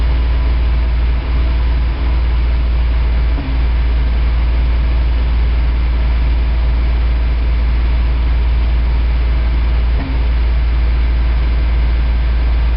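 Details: High-mileage 1987 Toyota 4Runner, reman engine, cold start first thing in the morning, clutch in: deep, lumpy, uneven idle with occasional stumbles, dropping cylinders, still misfiring after 3 minutes. Cause: cheap head gasket leaked coolant, cracking the aftermarket head and fouling plugs.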